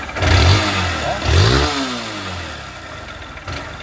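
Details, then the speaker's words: pode ser ó biela aqui de cilindro pode ser os dois entendeu só que pode ser aqui de cilindro pode ser biela porque realmente é incrível aí "pode ser ó biela aqui de cilindro pode ser os dois entendeu só que pode ser aqui de cilindro pode ser biela porque realmente é incrível aí"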